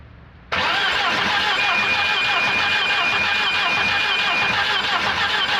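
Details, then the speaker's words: 1984-85 Volvo 240 left sitting in the woods, cranking on brake cleaner, dipstick tube smoking: starter grinds on at an even, heavy, slow pace without catching; engine down on compression, full can of brake clean didn't fire it. "yep she's struggling I think I think uh I think that's about it this car is definitely down on compression is what it is"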